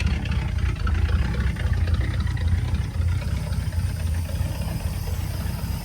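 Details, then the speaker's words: 1959 Cadillac, sat a couple of years, low warm idle, no engine knock: faint rough growl under the idle from the power steering pump despite fluid topped up. "There's some growling in the power steering pump right here. We checked the fluid on that, added some, but there's a little bit of a growl."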